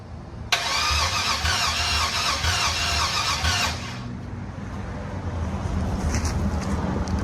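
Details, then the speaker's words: LS-swapped Box Chevy, 5.3L LS with eBay standalone harness, new fuel pump giving fuel pressure; starter spins engine steadily about three seconds without firing; crank no start, owner suspects no spark, plans to change old spark plugs. "So as I'm trying to crank this, I'm getting the fuel pressure, I'm getting all the stuff, but it's not firing. So it's getting gas, but I don't think it got spark."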